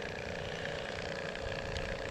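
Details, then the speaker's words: Shurflo 3.0 GPM water pump (model 4008-101-A65) feeding an off-grid shower with accumulator tank, run via inverter: constant steady buzzing drone that never cuts out, because a crappy hose is leaking and pressure cannot build. "Now, of course, you hear the pump running as I connected it. Why? Because look at that. You see what I mean? Crappy hose leaking"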